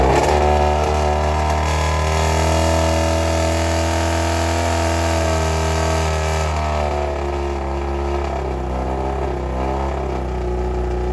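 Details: 1995 Kawasaki ZX7 after carburettor cleaning, running with muffler removed after water got into the engine and it was flushed with transmission fluid; loud open-pipe four revving unevenly, pitch wobbling and stumbling; rough, untuned running.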